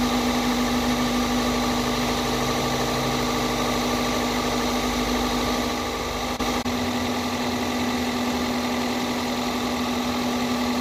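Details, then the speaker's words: 2002 Toyota Corolla after new coil packs, spark plugs and a cold air intake, warmed up and revved: steady, even idle with a constant hum and no misses or knocks, running smoothly and quieter than at first start. "it sounds good when I rev it know give it a a a throttle twisty it sounds good it's clearing up now it's not as loud"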